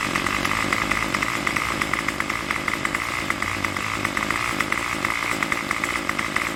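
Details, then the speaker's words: Craftsman Weedwacker trimmer 316.791191 after repair (MTD 27cc two-stroke, Zama carb), idle on a tach near the 2600 rpm target, about 2700 and wandering: high buzzy fast steady idle, crisp even firing, no misses or surging. Healthy idle. "the idle rpm should be like somewhere between somewhere near 2600 that's so close we get it all right"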